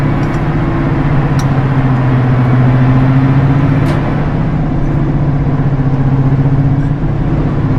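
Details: Class 55 Deltic 55009 'Alycidon' Napier diesel, number 2 engine started from the cab after pre-lube and fuel rack reset, recorded on board on the Severn Valley Railway: deep, steady low drone with an even beat after start-up; normal running.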